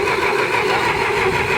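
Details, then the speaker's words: Massey Ferguson 65 tractor, run after sitting for years, with gas poured into the cylinders. It cranks with a steady churn and catches briefly but never runs; the carburetor isn't feeding fuel. Crank, no start, fuel starvation. "So the problem is it's not getting any gas. The carburetor, you see it wants to go."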